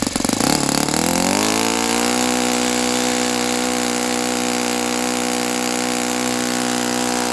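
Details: Saito FA-82a engine on test stand after spring replacement, about 63–65°F: revs up cleanly from a rough start to a steady high full-throttle buzz but tops out short of peak RPM; owner unsure if prop is 14x6 or 14x8.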